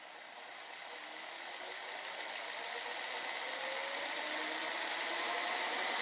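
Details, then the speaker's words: Toyota Sienna, key on, engine off, AC off; radiator fans spin up into a steady, rising whoosh and keep running; faulty fan control module keeps them stuck on. "Hear the fans just activate."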